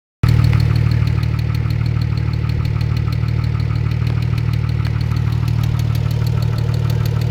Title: Weird engine noise